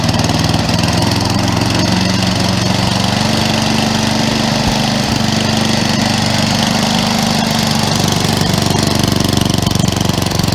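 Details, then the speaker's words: Craftsman 11/30 snowblower after auger belt replacement, with the high-speed screw backed off because it had been revving very high: a steady, even single-cylinder note holding speed without surging or racing. Normal running speed. "back that off just a little bit fire it up see how she sounds"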